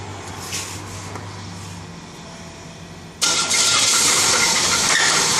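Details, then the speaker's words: Engine run low on oil with totally black oil from missed oil changes; it starts with a harsh, rapid metallic knock about three to four times a second. Spun crankshaft bearing, engine blown and to be replaced. "hear as you can hear on the inside of the engine it's spun a bearing which is that horrible noise so this the sound of an engine that's completely blown up a seized bearing on the crankshaft"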